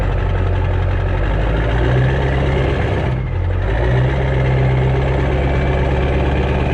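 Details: Stock 7.3 Powerstroke diesel with rebuilt, upgraded larger later-model turbo and 4- or 5-inch exhaust only, warming up: deep, steady rumble at idle with an even beat and no knock or miss. Normal idle.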